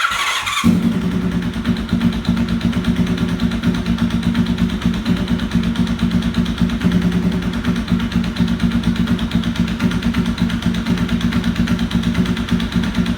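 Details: 1992 Honda VFR750 streetfighter with two header bolts missing from the front cylinder head and part of the casing sheared away: after start-up, a loud, sharp ticking knock keeps pace with idle and quickens on revs; exhaust header leak.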